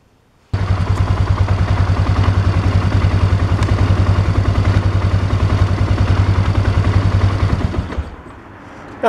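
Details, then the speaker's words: 2001 Polaris Sportsman 500 just after an oil change, run about a minute, no leaks found: single-cylinder thumping at a steady even idle, deep and regular, no knocks or ticks; normal idle. "right, we've let it run for a minute. We've checked for leaks. There are none."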